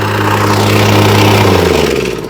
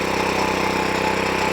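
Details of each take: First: Wacker plate compactor after refitting a slipped drive belt, started on choke; engine fires and runs strong and steady, plate vibrating, winds down smoothly with no slipping or flapping; running normally after repair. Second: The machine runs, but it just won't vibrate. So let's turn it on. It might even start because I haven't long had it running. And then let's give it a pulse, see what it do. So there you go. Runs, but no vibration.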